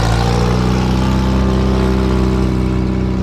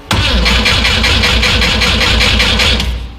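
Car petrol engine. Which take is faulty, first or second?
second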